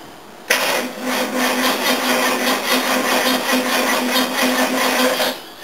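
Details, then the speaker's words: XJ12 Jaguar V12 cranking cold with a full battery: starter drags the engine slowly with an even, laboured beat and it doesn't catch, worse when hot; poor starter solenoid connection suspected. "I think the starter motor has shut itself or there's a bad connection somewhere"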